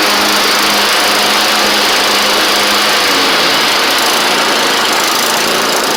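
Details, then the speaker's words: Troy Bilt Bronco riding mower, Kohler Courage single-carburetor engine, after deck, spindle and drive belt work, driven down driveway: steady single-cylinder run with faint occasional hesitation; still a tiny stumble, cause not yet found; engine stumble. "still just got that tiny little stumble"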